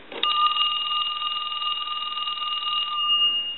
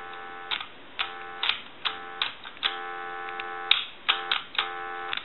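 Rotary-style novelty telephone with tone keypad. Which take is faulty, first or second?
second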